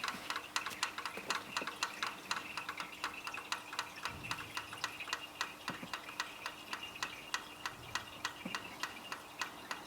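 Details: Jeep Wrangler 4.0 engine after shutdown: sharp steady ticking about four a second, felt at the valve springs, faster when hot; engine also runs poorly with cylinder 6 misfire code; cause unknown.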